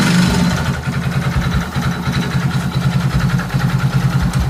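A low, uneven pulsing putter, about three beats a second, rising and falling with the throttle: an unusual engine noise, cause unclear.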